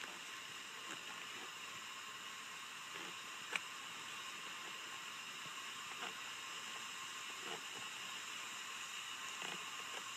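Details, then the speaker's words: Acura Integra B18B1 engine, no engine running, cylinder four at top dead centre during leak-down test: steady soft airy hiss with faint ticks, air leaking past exhaust valve; best cylinder tested so far but still some leakage. "well so far this is definitely the best cylinder out of all of them we've tested so far there is still some leakage and again exhaust valve"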